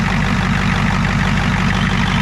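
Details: Ford 7.3 IDI diesel on revival, warm, running after restart without starting fluid: deep even clatter at a steady low idle with no misses or surging, noticeable blow-by; engine runs smoothly.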